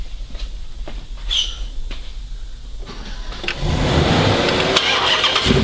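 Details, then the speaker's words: 2006 Chrysler 300 SRT8 6.1 Hemi V8, first startup just after stage 2 cam, valve springs and retainers install, with intake and exhaust: quiet at first, then catches and settles into a loud, even lope; clean start, no knocks. "alright guys so we just finished up the cam install on this 6-1 Hemi and we're about to do the first startup"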